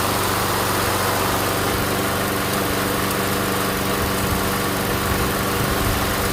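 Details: MTD Gold self-propelled mower with Briggs & Stratton Quantum engine, primed and started outdoors after pull-rope repair: steady, even single-cylinder putter, no misses, knocks or surging; runs good, self-propel intermittent, front wheels suspected.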